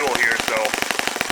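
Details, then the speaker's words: Saito FA-65 four-stroke model engine, throttle fully closed after leaning idle mixture slightly: fast crisp popping about fifteen beats a second, idle stays too high and won't drop, until it runs out of fuel. "my quota throttle my throttle there you can see how it's fully closed and it's not going down very high"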